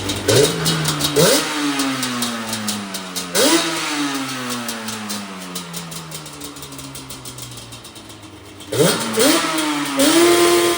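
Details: Yamaha Banshee from a storage-unit auction: crisp two-stroke revs climb sharply and fall back to a quick, even idle, with repeated clean crackling blips; the engine sounds healthy.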